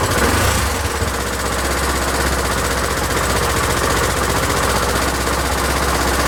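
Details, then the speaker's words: Honda XL1000 Varadero V-twin restarted after rework, idle speed raised since it ran low and kept cutting out; now holds a steady, even idle with a regular low pulse, no stalling or hunting, running a lot better: normal idle. "well it seems to be a lot better again"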